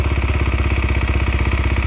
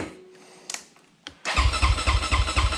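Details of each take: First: 2020 SSR Motorsports SR300 single-cylinder dirt bike after installing a Lectron carburetor, idle tuned by hand: steady, even thump at about thirteen pulses a second; normal idle that sounds good. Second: 2020 SSR SR300 dirt bike after Lectron carburetor install, fuel confirmed in the bowl: steady rapid cranking churn, stopping and restarting, never catching; spark check showed no spark at the plug.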